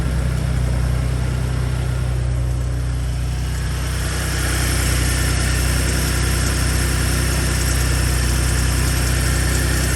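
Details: Gen2 Ford Raptor cold start at about 53°F after two days unstarted: loud idle with revs stepping up and light metallic upper-end rattle; owner suspects cam phasers or turbo actuators, unconfirmed.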